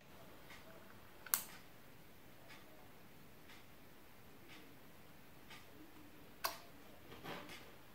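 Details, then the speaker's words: DIY 12V/19V UPS on four lithium test cells: two sharp clicks about five seconds apart as the relay disconnects the load from the battery when the 12V plug is connected; switching normally. "and now when i connect the 12 volts plug the relay will disconnect the load from the battery"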